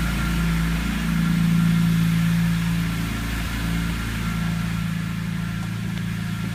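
Engine idles with a low, uneven pulsing and slight wavering hum, a rough cold idle with no clear cause yet.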